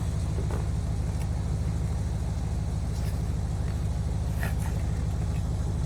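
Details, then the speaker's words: Ford Econoline 100 van on a budget revival, distributor just installed and timed, gas poured in carburetor, small battery: starter churns at an even two beats a second for several seconds but never catches; crank no-start, cause unknown. "Uh-oh. See, shit's not wanting to It's not really wanting to work here."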